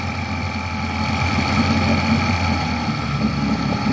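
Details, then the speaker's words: 1964 Glasspar Super G boat outboard, throttled up out of gear: steady buzzing note at raised throttle, even pitch, no stumbles or dropouts; runs clean with no misfires. "So I'm going to throttle up. As you can see, it runs pretty decent, no misfires."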